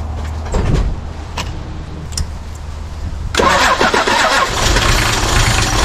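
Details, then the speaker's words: Toyota 2H turbo diesel in a Jeep cranking unevenly, one stroke lighter, then catching rough, like a dead hole. Owner doesn't think a valve dropped, suspects broken rings; a funny noise was heard that morning. Later traced to number one cylinder. "the way it cranks it cranks like it's got a dead hole doesn't sound like it's dropped a valve but wondering if he broken rings"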